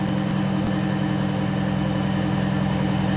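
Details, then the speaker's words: Cummins diesel truck warming up toward temperature: steady, even idle with a light rhythmic clack about three or four times a second from the air compressor; runs healthy. "a good old Cummins air compressor for you. That thing sounds beautiful, boys."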